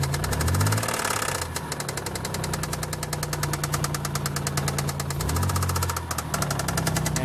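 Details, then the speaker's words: 1990 Nissan 300ZX Z32 engine: steady knocking about three per second from the engine bay, repeating in a cycle and speeding up as the pedal is pushed; rev-following engine knock, cause not yet found. "And so as you can hear how the noise goes on in a cycle, repeatedly knocking like this. It sounds like the noise is coming from here though, but I can't be certain, really. Every time the car is also accelerated, you know, or you push the pedal, the noise speeds"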